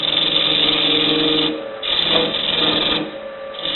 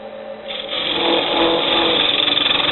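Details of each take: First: Wood lathe at 1,300 rpm hollowing a travel-mug blank: rough scraping bursts with buzzing, ringing tone; chatter with a freshly sharpened tool bit from long overhang in a hole gone out of round after drilling wet wood. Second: Lathe turning a wooden travel mug insert with a freshly sharpened tool at about 1,300 rpm: once about 1 inch deep, the earlier vibration dies out into a steady even scraping hiss, cutting smoothly.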